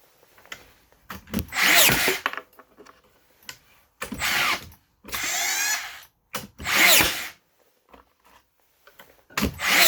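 Repeated short whirring motor spin-ups about a second long with uneven gaps between them, cycling without a clean drive: the nailer is misfiring.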